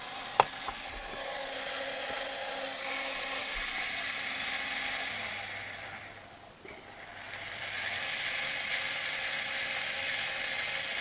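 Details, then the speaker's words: Sky-Watcher AZ GTI mount after strip-down and regrease with Superlube synthetic, DEC axis slewed through 360 degrees under app control: even high-pitched gear whir with no grinding or binding, DEC side fine. "so I'm literally just going to turn that through 360 Degrees to make sure there's no binding so that's all good on the deck side"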